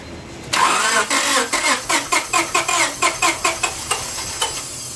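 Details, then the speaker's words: 1998 Honda Civic 1.6 VTEC that stalled on the highway, started with the accelerator held: it runs rough with heavy, regular knocks about twice a second. A rod gave way or had excessive clearance, and the engine needs replacing. "But yeah, it's assuming that I can't rotate it backwards, but that definitely was a rod that gave way or excessive clearance caused it."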